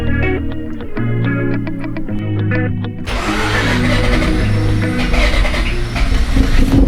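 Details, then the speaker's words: Mazda RX-8, freshly rebuilt 13B rotary, first start in over 5 years: brief cranking, catches about three seconds in, settles into a steady busy idle; heavy smoke from assembly lube burning off. Normal first-try start. "Okay, RX-8 starts. I'd say let's quickly head out, and wow, it's really smoking. That's just all of the Vaseline burning off, all of the assembly lube. Nothing to worry about, and it just runs so great."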